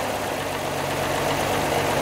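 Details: 1949 Armstrong Siddeley Lancaster after valve adjustment: steady idle with a fast, light tapping over the engine note; valve clearance ticking at tickover suspected, not confirmed.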